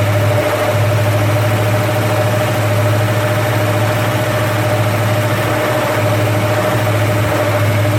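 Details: First start of a rebuilt 289 V8 after an almost two-year restoration, never run before: a steady, even fast idle around 1800 rpm with no knocks, misses or hunting. Oil pressure is great and coolant is warming. Healthy.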